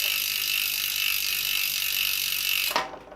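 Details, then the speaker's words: On a bicycle disc brake just aligned by tightening the caliper bolts while holding the brake lever hard, the wheel spins down with fast steady freehub ticking and no scraping or rubbing; the brake runs clear. "we can check it here and as you can hear there's no rubbing in the brake"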